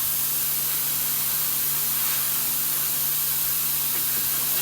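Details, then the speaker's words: MCI MC5 bus with newly plumbed nylon DOT air lines, after rebuild, while trying to release the parking brake: steady loud hiss of a sizeable compressed-air leak in the brake system, location still unclear. "hold on do you want me to pull it back up or just leave it leaking just leave it for that leave it until we stay is it the clam shells that's not where the big leak"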